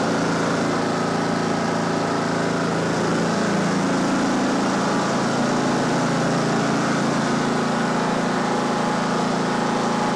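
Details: Simplicity Regent riding mower with a 14hp Kohler Command engine, after the shut-off gas line was reopened: an even, steady single-cylinder thump holding constant speed for ten seconds with no stumbles or hunting. Normal running.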